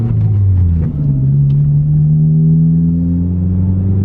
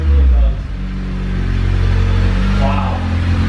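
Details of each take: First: Girlfriend's car with straight-piped exhaust, muffler removed: loud, raw, raspy exhaust note rising and falling with each rev, no muffling, sounds terrible outside. Straight-piped exhaust. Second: Car with a straight-piped exhaust being reworked with a muffler: deep, steady exhaust rumble at idle with no rattle, drone or blowing; the exhaust now sounds good, a normal exhaust note.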